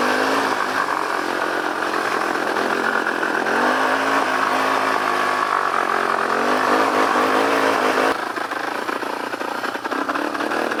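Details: Yamaha Warrior 350 quad while riding: engine buzzes steadily but never climbs past low revs, held by the safety rev limiter, likely a faulty parking brake sensor, possibly the clutch switch.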